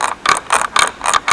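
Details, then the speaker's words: Jawa 20 gearbox, false neutral between first and second gear: six sharp scraping rasps, about four a second, as the shaft teeth scrape the gear wheel's inner teeth; shift not fully engaging, before repair. "Prostě to tam o sebe škrtá. Tadle hřídel, tady to ozubení, tady o to kolečko. O to vnitřní ozubení v tom kolečku."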